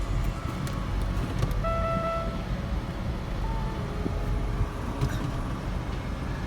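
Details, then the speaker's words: GM car idling with the AC on at a salvage auction yard: a clear two-tone chime and a fainter follow-up tone, likely the warning that coolant is low in the surge tank; suspected, not confirmed. "So I'm not quite sure what that is. That is say the coolant's low in the surge tank, which is not wrong."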